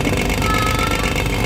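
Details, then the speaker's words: Showcase cooler compressor: drinks still cool, but loud, harsh, steady roar with rattly grit; bolts checked, a part inside the compressor seems loose, compressor likely needs replacing. "ini dapat trouble lagi nih Sis drink minuman minuman suhunya dinginamp 3 sampai l tapi kompresornya Suaranya berisik"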